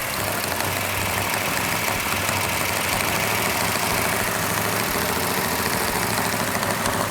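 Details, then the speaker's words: Rebuilt Plymouth Road Runner engine, initial startup held at high rpm for cam break-in: steady, even fast idle with slightly noisy valve train, normal for a new engine, no misses, knocks or smoke; normal fast idle. "Got a little bit noisy valve train, which is normal on a new engine. We're gonna hold the RPM up so the cam can break in."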